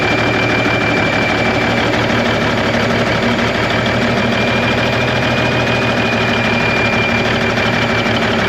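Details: 1991 Freightliner, Cummins NTC-365 with bad throttle lag, fed from a fuel bucket bypassing the ECM cooler plate: uneven, lumpy clatter with irregular beat, running rough and sounding worse; fuel delivery suspected, unconfirmed.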